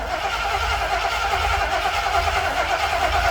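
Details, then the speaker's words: Old starter cranking, amp clamp reads 294 A peak then about 200 to 270 A, battery audibly dying: slow, labored, even churn with no catch, starter dragging; slow cranking from weak battery. "of course you can hear my battery kind of dying now but 294 amps maximum when it first hits and then it you know continues about 200 270 so that's actually pretty good for this old starter"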